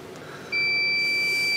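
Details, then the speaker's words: Anritsu MT8802A at boot (about five minutes): single steady high beep lasting about a second; self-test passes until SRAM shows no check and SRAM battery empty; boot failure, memory backup battery dead, unit then locks up. "everything checks okay when it gets to sram it says no check and sram battery empty"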